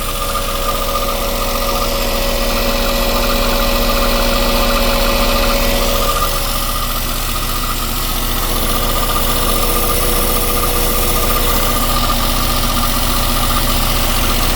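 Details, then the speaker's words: Westerbeke marine diesel generator, slowly overheating after 45+ minutes, after a flush, warm, left running to reproduce the shutdown: steady, even drone, no knocks, misses or surging; hoses not too hot. "All right, we're just gonna let it sit and run and see if anything happens here, because they ran for a long time prior to the thing shutting off on them."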